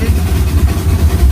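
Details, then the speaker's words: Steam locomotive Mad Bess, Ruislip Lido Railway, heard from the cab heading up the bank with a lot of regulator open: deep, pulsing, steady chuffs, a healthy exhaust beat under load. "You can see how much he's putting in regulator wise. Quite a lot. You can hear the exhaust"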